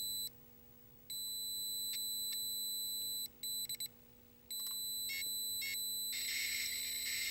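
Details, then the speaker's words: 1983 Atari Cloak and Dagger arcade PCB under repair: logic probe on the audio circuit gives high thin beeps in irregular bursts, then busy hiss-like chatter as the game plays; live audio data on both channels. "so you can see when that logic probe goes crazy that sound"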